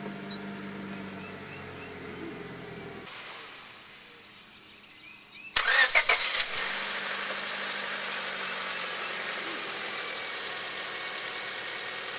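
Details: 2001 Honda Civic, 7th gen, first start after full timing belt service (timing, accessory belts, water pump, auto tensioner, crank seal replaced): brief crank, catches cleanly, settles into steady, even idle with no ticks or squeals; normal start.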